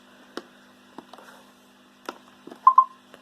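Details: iRobot Roomba 500/600 series diagnostic mode, auto-advance: quiet button clicks then two short close mid-pitched beeps marking advance to the next test after the panel button test.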